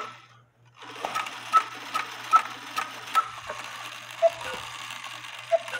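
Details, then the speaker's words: Cuckoo clock quail bellows fitted with a homemade screw weight that is too heavy: faint sluggish ticking and soft clicks as the quail tries to sound but stalls. The fix is to cut the weight about in half. "as I suspected it's a little bit too heavy for it so when you trip the quail it tries to play but you gotta put extra weight"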